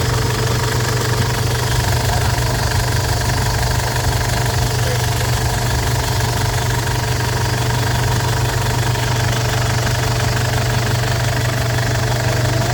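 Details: Ford Everest diesel, previously no-start with belt jumped timing, after replacing timing belt, glow plugs and rocker arms: steady, even idle, deep low rumble and light regular clatter, no misses or surges; runs cleanly.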